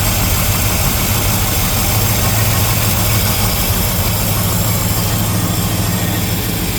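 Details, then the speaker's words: 1975 Chevrolet El Camino with stock small-block V8, still cold; deep, steady idle with even low rumble, no knocks or misses; running smoothly. "Running pretty good now. Huh? Still cold."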